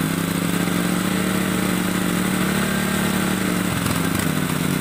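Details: Honda water pump engine converted from petrol to LPG through a plain regulator with its inner ball removed, gas and air adjusted: steady single-cylinder putter at fast idle, even beat, slight speed dips; running on LPG.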